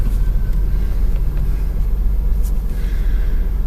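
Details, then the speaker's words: Engine idling ice-cold, steering turned lock to lock on dry ground: even rumble, no pump whine; quiet power steering pump after adding a full bottle of Duralube automatic transmission additive, which cured earlier noise and cold sticking. "absolutely flawless flawless I don't think anybody ever thought of doing that it's quiet as a mouse can hear nothing listen very little it's on dry ground"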